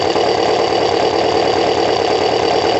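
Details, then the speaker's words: Kawasaki ZL600 motorcycle with new coils, tuned carbs, valves done and firing order corrected; not warm, idling just over 1000 rpm, even hum with no flicker, stumble or tapping, air suction valve not blocked: normal idle. "oh it runs look at the idle look absolutely not victory but just over one thousand hardly any flicker at all it's smooth that's and that's with the suction valve not blocked"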